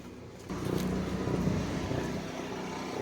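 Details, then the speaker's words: Onan MicroQuiet 4000 RV generator with microwave and AC on, heard from outside: steady drone with uneven low pulse, still running a little rough, then levels out somewhat, as it has been doing lately. Rough running and surging, cause unknown. "can already hear it. Still running a little rough. Now it leveled out a little bit. That's kind of what it's been doing lately."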